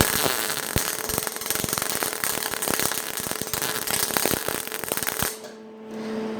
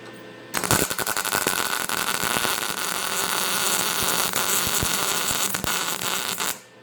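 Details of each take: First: MIG welder on sheet metal, wire speed raised to 100: harsh, irregular popping and crackling instead of a steady sizzle, showing too much wire speed. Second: MIG welder on sheet metal, heat setting G, wire speed backed down from 5 to 4: steady, even frying-bacon crackle with no popping or spatter, a much nicer weld and a correctly set arc.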